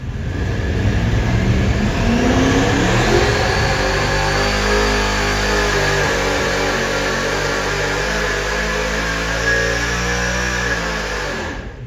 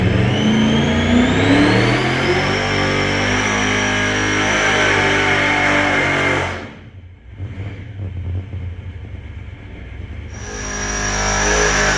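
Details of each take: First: Supercharged 483 big-block Chevy on methanol with 4150 alcohol carburetors on dyno, distributor switched to rear magnetic drive: deep roar climbing cleanly through revs, no popping, drops off cleanly; normal full-throttle pull after fix. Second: 483 big-block Chevy, supercharged with alcohol 4150 carburetors, on the dyno with possibly some E85 in the fuel: hard pull climbing in pitch cuts off after about six seconds into uneven running; catastrophic failure with a burnt piston.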